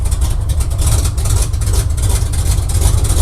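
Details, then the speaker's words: Barn-find square-body truck with Oldsmobile 350 Rocket V8, first start in 6 days in about 4-degree cold, driven into shop; deep uneven rumble lurching and sagging, barely running; about 30 psi oil pressure. "Come on. We're trying here. Boy, if this thing's gonna go to town, we got a lot of things to do. Come on. Barely running here."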